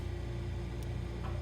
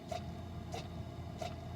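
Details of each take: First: Frigidaire side-by-side refrigerator LFSS2612TF4 after replacing stuck fridge air damper (part 242303001): steady low hum with one brief click as damper motor stops at end switch; damper opening normally, no repeated clicking. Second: Frigidaire side-by-side refrigerator LFSS2612TF4, fridge up to 50°F while freezer works: soft clicks about every 0.7 s over fridge hum, air damper motor clicking but door stuck closed; damper replaced with part 242303001.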